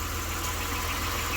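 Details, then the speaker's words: 1993 Dodge Grand Caravan LE at about 166,357 miles, idling after a new water pump, idler, tensioner, oil, transmission fluid and coolant: steady, even idle with no growling pulley; belt drive sounds healthy. "I don't hear no growley pulley that's for sure yep sounds nice and"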